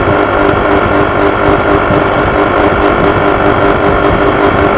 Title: Honda PCX buzzing sound vibrations